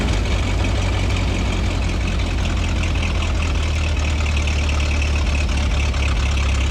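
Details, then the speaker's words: 1926 Ford Model T touring, crank-started with spark advanced: slow, lumpy idle with an uneven beat under a steady low drone because one spark plug isn't firing properly and needs replacing; misfire from a faulty plug. "now let's Advance the spark you can hear that spark plug needs to be replaced it's running rough"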